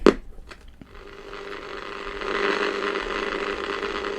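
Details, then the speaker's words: Crown TRF-2200A Japanese radio with air band, aerial disconnected, AM band: only steady rushing hiss with faint hum, no station; no AM reception, possibly due to the missing aerial. "so am i expect something around here not really a sausage on that"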